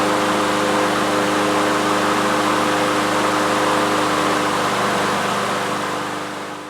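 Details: Troy-Bilt TB360 mower, Briggs & Stratton Quantum single-cylinder engine, after carburetor main jet cleaning, air cleaner off, checking the automatic choke as it warms: runs steady and even at fast idle, no misses or surging; normal running.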